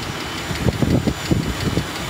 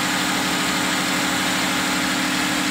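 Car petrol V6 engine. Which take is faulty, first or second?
first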